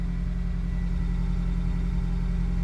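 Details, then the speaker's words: 2003 Honda CR-V (2nd generation), 334 (stated) kilometers, after fuel pump relay replacement cured crank-no-start and stalling: steady, even low rumble with no misses, knocks or surging; normal idle. "on the CRV fuel pump relay so this car has already 334 kilometers but it's still running right"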